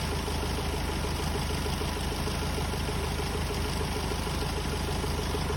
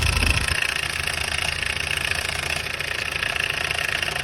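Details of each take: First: Hyundai Starex D4CB diesel, very hot engine, checked for smoke from the breather and valve cover: steady idle with an even light clatter and no knocks; only slight smoke and oil spatter, judged normal. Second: Hyundai Starex D4CB diesel, smoky and noisy: idle with a busy metallic clatter over the engine note, from a timing chain gone slack because its upper and lower guides broke.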